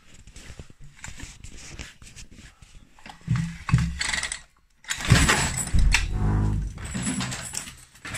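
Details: URAL MASH 5.7 hp two-stroke brush cutter on its first start and break-in: it catches easily on the first try and buzzes evenly for a couple of seconds; a clean, healthy start.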